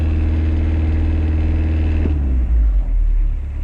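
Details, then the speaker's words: 2003 Toyota Kijang Kapsul LGX 2L diesel: fast buzzing rattle from the gear shift lever over diesel drone, appearing only at 2000 rpm and above and fading as revs drop; shifter bushing to be replaced. "Oke, sepertinya suara itu hanya muncul pada putaran mesin 2000 RPM ke atas."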